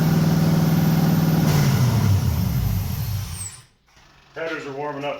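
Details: 1989 Chevy S10 Blazer LS swap after refitting the MAP sensor to the LS1 intake: steady even idle hum settling a little lower as it runs, no knocks or misses; normal idle.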